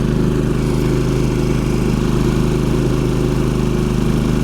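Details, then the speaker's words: Champion 3500 dual-fuel inverter generator powering a travel trailer 15,000 BTU AC: revs up as compressor kicks in, surge about 23 A then 12.5 A, about 82 dB, steady even drone without hunting. Finding: normal running under heavy load. "so now we wait for that compressor to kick in you'll hear this rev up watch the voltage drop there it is Wow okay I think that was a jump up to about 23 amps"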